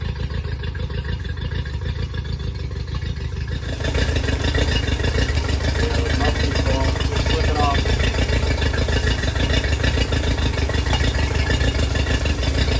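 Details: Yamaha 50HP (T50) outboard: lopey idle with about a hundred stumbles a minute, one beat weaker. A leakdown test later leaks into the water jacket, telltale and freshwater line; owner suspects corrosion near the oil sump.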